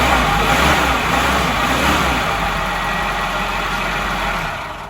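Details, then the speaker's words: 1989 Nissan 4x4 pickup, eight-plug four-cylinder, back running after sitting about eight years; a cold rev, with 1500 rpm given as the desired idle. Steady, even engine roar easing off, no knocking or misfire; normal revving. "i mean it's it's a nice truck but one last cold rev for you guys"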